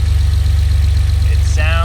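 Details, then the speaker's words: Porsche Cayman with freshly rebuilt engine, after a short neighborhood shakedown: steady, deep, even idle with a smooth low rumble and no knocks or ticks; sounds much better. Some right-side smoke at startup. "sounds much better now."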